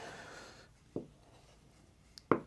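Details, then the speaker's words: Sharpening an edge tool on a leather strop with 3-micron honing compound: two short scraping catches on an otherwise quiet stroke as the very edge digs into the strop; raising the angle to the right level makes it stop. "When you hear it doing that, that's when I'm catching the edge here and not this part that we've been"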